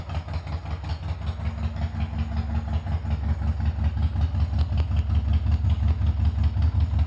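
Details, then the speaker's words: Harley-Davidson after All Balls starter clutch replacement: even loping V-twin idle, roughly 160 pulses a minute, no cracking or clatter; startup cracking noise gone, runs healthy. "so um this is what she sounds like now and the cracking noise that uh we heard at startup has gone"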